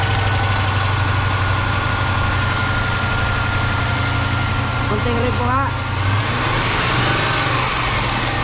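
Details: 5.7 V8 at idle with brief rev: low, even rhythmic tapping over steady idle; knocking noise, hydraulic lifters mentioned, cause unconfirmed.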